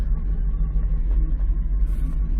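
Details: 1993 Lexus SC400 4.0 V8, 105,000 miles: steady low rumble with even beat, no misses or knocks; normal idle.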